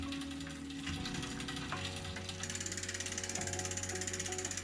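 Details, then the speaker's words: Apollo kids' bike drivetrain after indexing gears and setting the derailleur L limit screw: even, rapid chain and freewheel ticking with steady gear whirr, no rubbing or grinding; normal running. "okay so that's the the L screw done we've we've done everything correct there there's no more rubbing whatsoever just the usual sort of noise"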